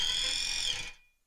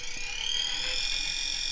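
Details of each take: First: Force-driven SCARA robot arm joint on a geared motor, moving to minus 10,000 encoder counts: thin high electrical buzz holds steady, then fades as the motor settles on target. Working normally. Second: Small gear motor with about 71:1 gearbox on a force-driven SCARA robot arm hub: steady high-pitched buzz while stalled just short of its target position, stopping after about three seconds.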